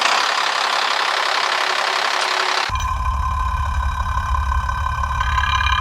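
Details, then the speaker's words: FAW truck 260 hp diesel after overhaul following overheating and piston repair, knock worst under load, mic at injection pump: heavy idle with a hard tapping knock about three per second, traced to the number one pump plunger. "तो यहां से आवाज one number में ज्यादा थी आवाज तो जब वन नंबर में आवाज ज्यादा थी"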